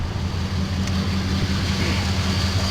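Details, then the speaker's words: Dodge 5.2/5.9 V8 idling: steady, even low rumble with no stumble or miss; runs beautiful now. "the situation and the condition that she's in trouble um let's see runs beautiful now"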